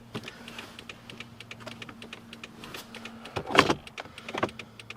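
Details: 2004 Toyota Corolla after fitting front LED turn signal bulbs: rapid light clicking, about three to four ticks a second, from the flasher under the dash. This is hyperflash, as the stock flasher reads the low LED load as a burned-out bulb.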